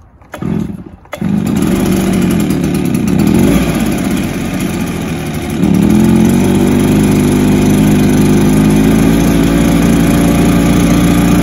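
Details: Stihl BR430 backpack blower after fixing its bogging, outdoors, refueled, primed and choked: two-stroke fires, revs cleanly and settles to a steady even drone with no bogging or stumble; normal running.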